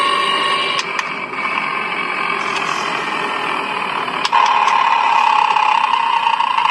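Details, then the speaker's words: Electric car drivetrain checked with a Steelman noise-detection tool, sensors placed on engine, motor and transmission: steady whine around 1 kHz, louder partway through, most audible at the transmission. "you can hear the noise it's more audible in transmission"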